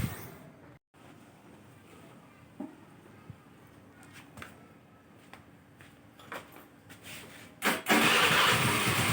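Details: Carbureted Honda Vario scooter that would not electric-start, after seating the fuses (incl. 10 A) and kiprok (regulator) connector; quiet clicks and handling, then engine catches near the end with an even rush, clean start.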